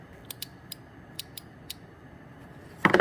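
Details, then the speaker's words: 2002 Chevy Silverado Duramax aftermarket lift pump relay: six sharp, unevenly spaced clicks as it chatters on and off, with corroded relay, poor ground wire and a melted 30A fuse found. "So if you take the relay out, which I'm trying to do with one hand here, you should be able to hear it click on and off."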